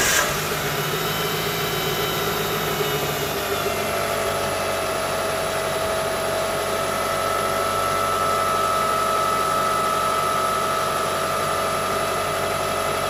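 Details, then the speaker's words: Engine idling right after replacing a noisy belt tensioner and an idler pulley with a bad bearing: even, steady idle with a faint belt-drive whine and no chirp, rattle or grinding; the earlier noise is gone. "guys. So the noise is gone, like the noise before."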